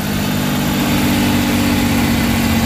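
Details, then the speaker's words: Suzuki K6A petrol engine (DA63/DA64/DA52W) after general overhaul with XADO engine treatment added, first start: holds a steady, even idle with a clean low hum, no ticking or knocking; normal idle. "Yan, medyo umiit na siya. So kaka-idle na yan."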